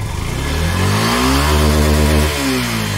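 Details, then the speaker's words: Yamaha FZS V3 motorcycle after opening the engine and fixing the clutch plate problem that caused noise and squealing under pull. Clean revs rise and fall smoothly with no squeal or chatter on throttle blips; clutch noises gone. "তো এখন কিন্তু একদম smooth sound চলে আসছে। যে class বাটির যে শব্দগুলো ছিল সেগুলো কিন্তু একদম চলে গেছে।"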